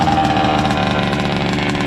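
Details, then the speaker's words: Rovan 29cc gas Baja RC car, not run in 5 years and stored with fuel, second start: a fast, buzzy two-stroke idle holds steady and even with no misses or surging; normal idle, the fuel system holds pressure. "Perfect idle. Baby, good job. Great run. All right, we're going to shut it down. >> Fired up beautifully."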